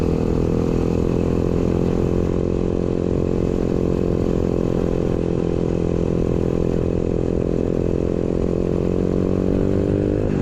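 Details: Newly installed 125cc 4-speed kick-start single in a Pagsta chopper build with a new fabricated exhaust; revs up cleanly and settles to a steady, even beat with no knocks or rattles; healthy running.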